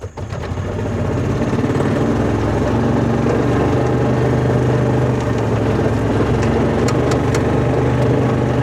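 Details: 2004 Kawasaki Mule 3010 petrol twin, unrun six or seven months, after new fuel pump and carburetor: uneven, lumpy loping idle, running on one cylinder as before; owner checks the coils, having pulled one coil power wire off during rewiring.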